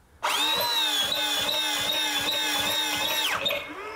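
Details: Almost new Stihl BR450C two-stroke leaf blower, no start and no sputter: steady high starter whine spins the engine about three seconds with no firing; cranks but will not start.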